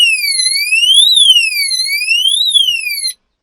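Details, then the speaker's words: Oxford Screamer motorhome anti-theft alarm, set then triggered by tampering: loud siren sweeping up and down in pitch, about two sweeps every three seconds, then cutting off; alarm triggering correctly after fix. "and that's what happens it goes off scares the living daylights out to them lets everybody around you hear it and it's all good"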